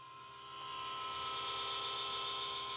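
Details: Xbox One power supply adapter (power brick): thin steady high whine with several fixed tones, swelling slightly then holding constant; cause unknown.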